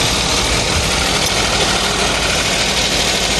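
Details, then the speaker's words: 2015 Kia Picanto manual, after repairing a crank-no-start fault: small petrol engine idling steadily, no misses or knocks, hissy background; idle speed coming down as it warms; healthy idle. "Dahan-dahan ng bumaba. Takpan na natin. Pag kuminit bababa na rin yan."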